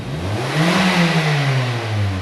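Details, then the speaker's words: 2001 Chevy Prism with Toyota 1.8L engine: throttle snapped toward wide open, revs climb then sag and hesitate before settling into a very rough idle while the O2 fluctuates; lean misfire suspected from restricted fuel injectors. "I mean, that is a very, very rough idle right now. Yet the O2 is still fluctuating up and down. I'm really worried about these injectors on t"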